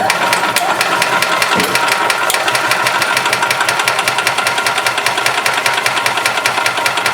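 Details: 1991 Yamaha G8 gas golf cart, small single-cylinder engine that had been dying after two to three minutes of running; after carburetor cleaning and new fuel pump and line it ticks over at a quick, fairly steady beat with no sputter or dying out: running normally.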